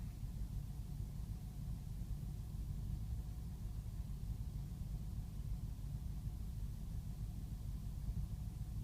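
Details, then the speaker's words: 2005 BMW 645Ci E63 at cold start, rough idle and surging recurring in cooler weather: low, uneven rumble with stumbling rhythm, misfiring badly with a blinking check engine light; smoke test found no leaks, smooth once warm. "okay now we got another check engine light and it's misfiring pretty bad now and it's a blinking service engine light which is usually worse than just the norm"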